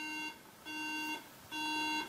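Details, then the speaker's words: MacBook Pro: three steady bright beeps about a second apart at power-on, memory not detected. "I have started the computer and um now as you see it beeps three times let's hear the beep one more time"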